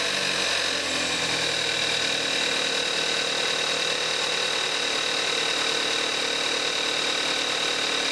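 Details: 2014 Kia Forte5 2.0 GDI, 41,000 miles, synthetic Amsoil 5W-30, cold start in May 2017, recorded on the camcorder's built-in mic: steady, even idle with light, fast injector ticking over a smooth hum; healthy.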